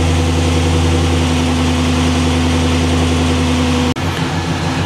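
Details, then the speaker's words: LS-swapped G-Body V8 with factory A/C, mic on owner's chest, 157°F water temp: steady, deep burble at a settled idle, even firing with no misses or ticks. Normal warm idle before A/C is switched on. "But look at the idle. It said it's between 780 and 800. And it's very it's varying down to like 760, I believe."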